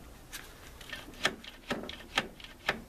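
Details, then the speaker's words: 1985 Lawn Chief mower, 11 hp Briggs & Stratton, engine turned slowly by hand stops partway, with uneven clicks and knocks inside; compression remains; piston suspected of hitting something or internal breakage, unconfirmed. "now when you go to turn it it makes it that far and then won't make it any further and there's definitely something knocking inside the"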